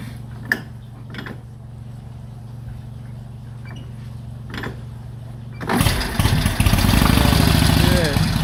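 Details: 1946 Indian Chief, original restored V-twin engine, first run after about 12 years in storage: low loping beat settles into a steady idle, then builds into a strong, clean rev without missing; runs well.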